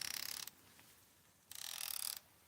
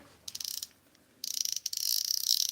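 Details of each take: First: Expensive baitcasting reel's drag clicker: two short runs of fast, fine, high ticking, soft and muffled rather than crisp; owner finds it too quiet when setting drag, cause not confirmed. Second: Drag clicker added to a magnesium-frame Daiwa Steez baitcasting reel: crisp, rapid high-pitched clicking in short bursts then a steady run as the spool turns; working cleanly.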